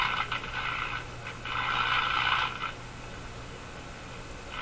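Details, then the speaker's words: Mohawk Model 1240 five-tube radio at first power-up checkout, very poor performance: steady low hum under irregular scratchy garbled static bursts that swell and fade, not in good operating order; noisy reception, source not yet found. "sounds like a garbly thing to me"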